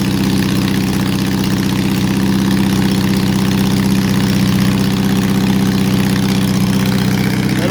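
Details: Honda CB750 under restoration, now running: loud uneven idle with about four stumbles a second; large misfire, owner suspects a vacuum leak, not confirmed.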